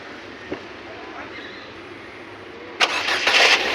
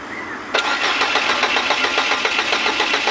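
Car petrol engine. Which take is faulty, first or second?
second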